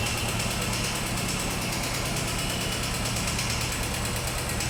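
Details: Royal Enfield Thunderbird 350, 10 months old, 4200 km: fast, regular ticking knock over a steady single-cylinder idle; engine knocking that the service centre could not find or fix, cause unclear.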